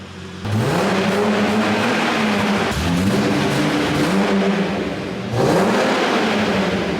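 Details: Holden VS Commodore ute after fuel system repair and breather line reconnection, very little fuel in the tank: crisp blips climb and fall back cleanly several times with no stumble, miss or hesitation. Revving freely.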